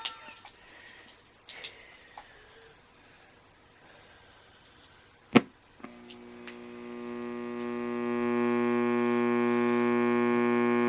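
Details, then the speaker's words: Radio amplifier at full volume with no input, powered by a wall wart supply instead of the quiet transformer/LM regulator supply: a steady buzzing hum builds to a constant level, so the wall wart supply is suspected. "There is a hum from the wall wart power supply. Let me just try something. Even with the capacitor across it, it's still humming."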